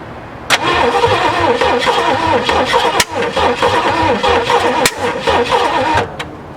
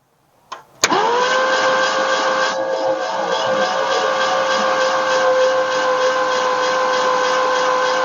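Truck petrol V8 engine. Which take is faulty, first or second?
first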